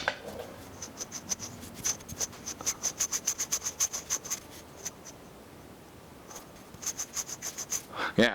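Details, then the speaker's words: Old square-taper bottom bracket just removed from a Poseidon Norton bike during conversion to an external-bearing unit: a gritty, scraping rasp as the axle is hand-spun; possibly dirt got into the bearings. "that's the sound is making rather there must have gotten some dirt, you know, possibly some dirt in the bearings."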